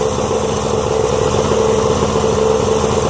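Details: Yamaha 90 hp outboard, first run after rebuild with new pistons, rings, rebuilt carbs and water pump, cold start, idle being adjusted: steady, slightly uneven burble with no knocks or rattles; running cleanly, idle set slightly too low.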